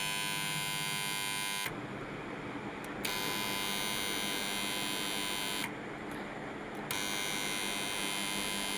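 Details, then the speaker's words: Starter contactor energised: loud steady mains buzz with a harsh rattly edge; dust, debris or carbon on the pole faces causes it, cleaning them fixes it if the coil is good. "कभी-कभी dust कचरा भरने से आ जाने से ये carbon आ जाने से यह चीज का प्रॉब्लम आता है।"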